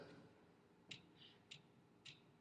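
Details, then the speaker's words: Torque wrench on an 8 mm head bolt of a 1985 Honda ATC250ES Big Red: three crisp clicks about half a second apart; wrench releasing at set torque. "clicking mm-hmm that's to say you're tight enough oh really okay it won't click like that until your reach to correct tightness that you've set the thing to"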